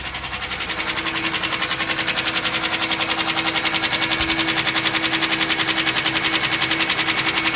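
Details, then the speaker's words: 2005 Chevy Equinox at cold start idle: sharp, very even knocking at roughly three and a half per second, which stops once the engine warms up. Owner suspects it was low on oil; cause unconfirmed. "when I turn it on it starts knocking and then after warms up it stops knocking"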